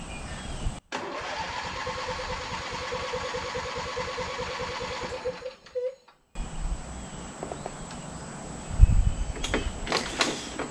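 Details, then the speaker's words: Lawn tractor after winter storage with its gas left in and its battery back up: with the choke pulled and a little gas, it cranks strongly for about five seconds but never fires. "she's turning to know that means we got our battery back give her a taste of gas we're just gonna give it a little bit of gas kind of see if we can get some gas in the system"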